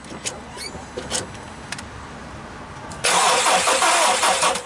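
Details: Volkswagen Polo: clicks then steady even cranking that never fires, no spark; cause was no positive supply to the ignition coils due to a lockout.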